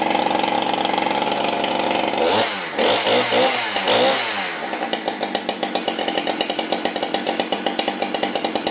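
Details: Husqvarna 395XP chainsaw with 58 mm big-bore kit, tuned to about 11,800 rpm wide open: steady high scream at full throttle, dips and recovers cleanly, then even burble at idle around 2,900 rpm; healthy, well tuned.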